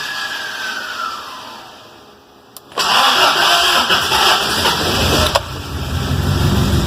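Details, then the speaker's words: 1979 Toyota Corolla Wagon, cold, choke set high, just fitted with a new MSD ignition (rev limit about 3,300): hesitant cranking, then it catches and settles into a rough, slightly lumpy idle. Hard cold start. "A little cold natured. Let her hit on it. Now I got that choke set pretty high."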